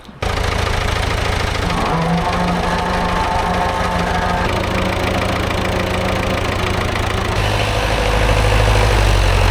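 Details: Vintage David Brown 990 diesel tractor, revived after 20+ years abandoned, seized clutch just freed, engine washed of oil: even low clatter at steady idle, regular firing, no knocks or misses; running sweet, engine seems in good condition.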